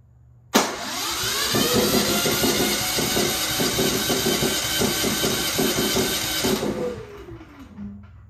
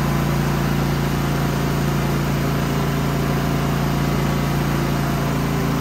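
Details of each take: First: Genmax GM9000iED generator after ignition module replacement, restarted after the fuel valve was shut to burn the carburetor dry: recoil pull catches, engine races raggedly several seconds then quits; hard starting, cause suspected not confirmed. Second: Genmax GM9000iED inverter generator after ignition module replacement and new foam, housing closed: steady, even hum with constant low drone, no surging or misses; normal running, though it later backfires and pops the plastic case open.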